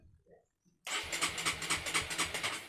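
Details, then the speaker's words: Honda CB150R with an added capacitive touch-sensor anti-theft module, not yet activated: the starter cranks in even pulses, about four or five a second, but the engine never fires (immobilizer engaged). "Oke, kita nyalakan dan coba kita starter dulu, harusnya motor tidak hidup."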